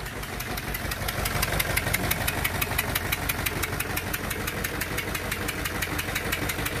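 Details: Renault Clio 2 1.5 dCi diesel, unstable idle after restart: sharp even ticking about three times a second as compression leaks past two faulty injector seals.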